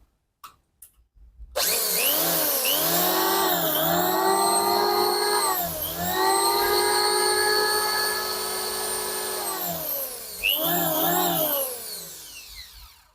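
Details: Richu model R7900 electric planer after bearing replacement, following complaints of a loud noise at the front: motor winds up to a high steady whine, dips briefly with each pass and recovers smoothly; an even, healthy planer run.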